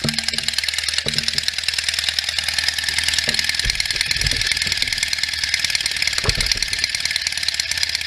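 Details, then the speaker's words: 1967 BSA A65 Hornet 650 twin after a full engine rebuild (new pistons, rings, bores, valves, guides, electronic ignition), after sitting 43 years; warm day, only a few minutes' run time. Even, fast-pulsing idle with a crisp exhaust note and no knocks; starts easily, no issues heard. "so far this bike has been super easy to start sounds real good I don't hear any issues at all"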